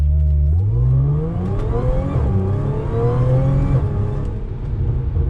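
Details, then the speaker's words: Audi S4 3.0 supercharged with test pipes, after Magnaflow resonated X-pipe fix, light throttle through first to third gear: smooth rising supercharger whine dropping at each shift, no rasp or drone as before; normal exhaust note. "So first, second and third, obviously not hard throttle, all you can hear is supercharger. Whereas before, all you heard was grrr and drone."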